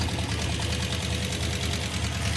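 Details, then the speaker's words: Hemi V8 in Roadkill's Gremmie, running hot, idling with loud fast even valve-train ticking, louder on one side; suspected collapsed hydraulic roller lifter or loose rocker arm, unconfirmed. "the number one problem here is the valve train noise it's really loud and I think it's a hydraulic roller lifter that's collapsed"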